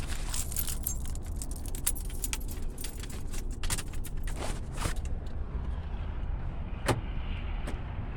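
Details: Oldsmobile Cutlass started after changing spark plugs and wires, one rear wire possibly not clipped on right: low steady engine rumble holds even while keys jingle; it fires and keeps running without stumbling, normal idle.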